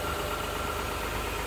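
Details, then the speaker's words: 2019 Toyota Sienna LE mobility van with 15k miles, 3.5 V6 idling: steady, even hum with a smooth low rumble, no knocks, misses or whine; idles smoothly. "Underneath the hood has a 3.5 V6 from Toyota. It idles smoothly, no signs of any damage, no signs of any leaks, no signs of any water damage."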